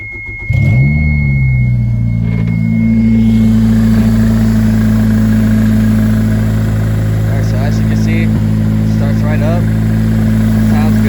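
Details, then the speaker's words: Toyota MR2 with Honda K20Z1 swap on stock PRB 05-06 ECU and immobilizer, first start after fuel system install: cranks briefly, catches within a second and settles into a steady, even idle with no knocks or misses. "as you can see, it is running on stock ECU."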